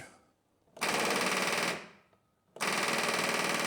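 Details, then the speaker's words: John Deere 5300 tractor with a new battery reading 11.8 V, key held: rapid machine-gun clicking with no cranking. The battery is ruled out, a relay is considered, and the starter solenoid is faulty, so the starter is replaced. "All right, as you can see, I turned the key and it's still making a clicking sound. It could be a relay, okay, but the clicking's"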